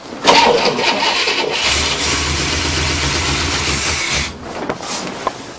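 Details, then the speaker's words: 1967 Cadillac cranking after a bad battery cable was fixed; popping out everywhere, firing order suspected wrong; rough uneven churn for seconds, never catches. Cranks but won't start. "go ahead it's popping out of everywhere like the firing order was doing that that's why i keep saying that"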